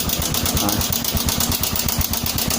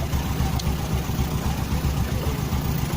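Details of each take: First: Honda Supra 125 (also Karisma discussed), rough engine noise at idle: quick rough clatter about eight taps a second over the thumping; suspected loose cam chain or tensioner, to be checked by disassembly. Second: Honda Supra 125 motorcycle at idle after the cam chain (keteng) tensioner was adjusted to cure a ticking top end: low, even single-cylinder putter with no ticking or rattle; the engine idles cleanly.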